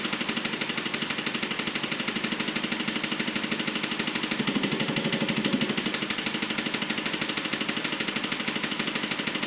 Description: My BMW 545 is making this weird noise.